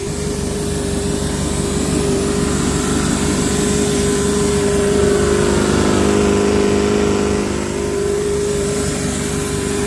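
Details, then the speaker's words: Toyota Celica ST204 with AMR500 supercharger and Magnaflow exhaust, warming up after start: steady supercharger whine over engine hum, with loud air hissing from a big split in one boost pipe. "there is a major air leak because again i'm using really cheap parts and right now one of the boost pipes has a big split in it so you'll hear a lot of air hissing but you'll at least get the idea"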